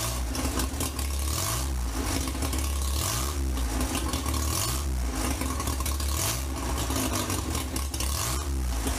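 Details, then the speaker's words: 1947 MG TC XPAG four-cylinder, running on a stand after about 40 years lying on its side, with a temporary radiator and exhaust pipe and untested carburettors: even idle, steady low beat, light valve chatter, no misses; may need fine tuning but normal idle. "so well we might like to do a little fine tuning but that's not too bad"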